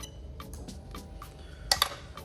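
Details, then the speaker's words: SC430 3UZ-FE VVT-i engine harness swapped into a 2002-2005 Lexus IS300 automatic, diagnostic active test: crisp light clicks about three per second as the ECU-controlled fuel pump relay switches cleanly; working normally. "So as you can see, the ECU is controlling the fuel pump. Super happy with that."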